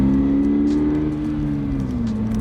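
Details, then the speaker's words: 2022 Subaru BRZ at constant revs: smooth steady drone with an oddly even, slightly artificial tone; this is synthetic engine sound piped into the cabin. "I mean, it sounds like that, but like a lot of enthusiasts just want to hear what their actual engine sounds like. And when they hear that there's pumped in sound,"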